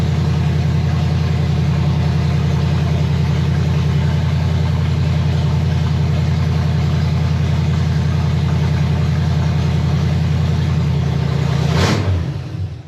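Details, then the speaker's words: 1965 Chevy Nova wagon, 327 small block with Edelbrock intake, first fire: strong even V8 idle with deep lope, no misses or knocks; charging, 30 psi oil pressure, water temperature 180°F; normal idle. "charging got 30 lb of oil pressure water temperature 180 180 man should take off 40 that's good"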